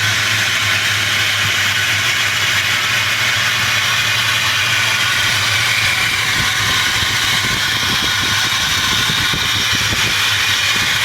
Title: Bad Belt tensioner pulley bearings